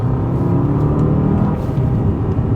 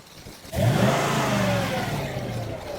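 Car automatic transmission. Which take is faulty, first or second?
second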